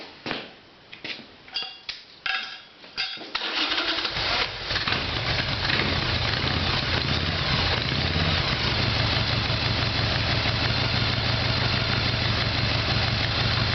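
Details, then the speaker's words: Harley Evolution Sportster being diagnosed, started without starting fluid with exhaust pipes hot and fuel in line: cranking bursts, then a lumpy uneven idle; plugs came out carbon-fouled, possibly low compression (compression test planned); carburetor later found at fault. Hard starting, rough idle. "so there's a spark plugs after the run and they're all carbon up so it could be low compression"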